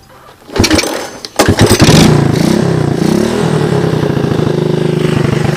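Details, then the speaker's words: Honda TRX125 with 150 psi compression, after cleaning the carb, correcting spacer orientation and bolting the carb on properly, on OEM wiring: a few turnover attempts, then a steady single-cylinder putter with a blip; runs, though smoky. "So, as you guys could see, she's a bit of a smoker, but it has really decent compression."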